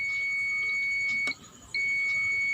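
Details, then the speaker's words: Multimeter continuity test on capacitors of the ST3151A09-2-XC-1 TV panel with blank display but working backlight and sound: steady high beep, brief dropout, then beep again when reprobed; continuity both ways shows the capacitors shorted. "वे दोनों capacitor beep कर रहे हैं। इस capacitor के दोनों तरफ reading दिखाई दे रही है।"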